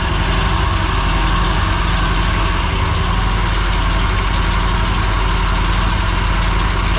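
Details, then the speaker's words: Riding mower that suddenly made a loud racket and lost power while mowing, listened to with a stethoscope at low throttle: light rapid ticking over a steady low idle, louder on one cylinder. Excessive valve lash suspected. "so this this is pretty noisy but I'm going to go around to this side so already when I put my stethoscope on this cylinder it's a lot quieter than this"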